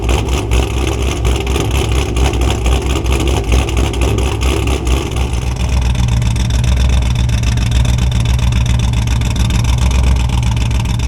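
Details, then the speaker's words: Cammed Camaro at idle: starts fairly even, then drops to a slow, lumpy, uneven beat with stumbles, a misfire. It had gone away after disconnecting the battery to reset the ECU, so the owner suspects an electrical issue. "Okay, so you've heard the difference, and as you can tell, the car is misfiring."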